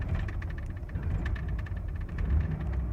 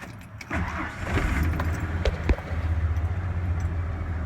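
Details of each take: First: 1993 Ford F-150 4.9 inline-six before repair: rough idle that bounces and surges on a light throttle blip, bogs, hesitates and nearly dies on letting off. The cause was a failed MAP sensor, which replacement fixed. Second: 1993 Ford F-150 4.9 straight-six after MAP sensor replacement, which cured rough idle, bogging and hesitation: short crank, quick start, settles into a steady even low idle, responsive to a little throttle with RPM holding; normal start and idle.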